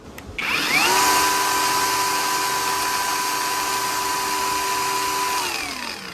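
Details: Used grinder, tested after cleaning and reassembly: spins up to a clean, steady high whine with no rattle or grinding, then winds down smoothly; runs healthy.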